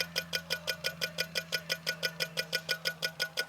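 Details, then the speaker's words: Electric SU fuel pump, fitted in place of the original mechanical pump and feeding a Weber carb, had been running too tight: now it ticks crisply and evenly at about three per second; normal pump cycling. "that's better yeah that's better I'm digging on that okay so we I think we got it I'm I'm very happy with that cuz it was a tick tick tick now it's like it ought to be"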